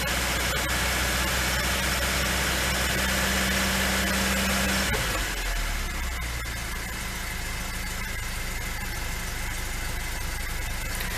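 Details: Lada 2102 started after a year standing: steady idle about five seconds, then stumbles and revs sag instead of picking up, a flat spot.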